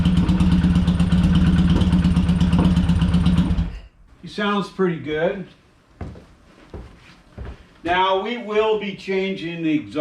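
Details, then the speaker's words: Used older motorcycle: ticking over a bit unevenly with light irregular exhaust popping; carbs suspected to need a thorough clean and readjustment. "This one's not bad. You hear that little bit of a popping? It sounds like the carbs need to be really cleaned and readjusted again."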